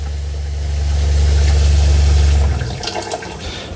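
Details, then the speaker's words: Coleman 17B travel trailer water pump running at the kitchen tap: steady low hum pulsing about four times a second for two seconds, then stopping as water runs; pretty decent water pressure, pump working normally. "There's your water pressure. You hear the pump."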